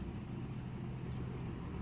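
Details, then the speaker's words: 2016 Jeep Compass at idle with check engine light, lumpy uneven beat from a misfire; the cylinder 3 misfire followed the ignition coil when it was swapped to cylinder 1, so the coil is faulty and needs replacing. "so the problem with this car is the ignition coil okay so yeah the problem is this one now i got misfired on this one now"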